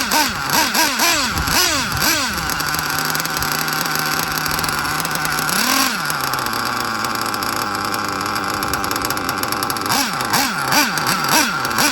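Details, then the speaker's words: Hobao Hyper VT 1/8 nitro GT RC car after leaks and problems were fixed: shrill engine blips up and down cleanly, holds a steady idle between revs and picks up crisply; 2-speed not heard shifting yet; running well, normal. "This is much better. Let's get her out and have a little rip with her in a second. Whoa, it's going lovely now."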